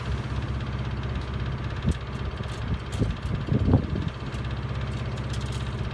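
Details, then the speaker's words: Miele Honeycomb Care W4 1/8 5 kg washing machine, overloaded with bricks, drain spin at 1600 rpm, drum wobbles, spider suspected broken: steady low spin drone with heavy irregular thumps midway; drum knocking during high-speed spin. "so when you when you rotate the drum it wobbles kind of you know ever so slightly and it's fine up until about 900 rpm spin once you put it on for a 1,600 spin makes a lot of noise"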